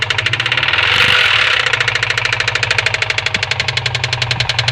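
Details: 2003 Subaru WRX petrol engine running with a fast, sharp metallic knock tapping steadily, roughly ten to eleven times a second: engine knocking.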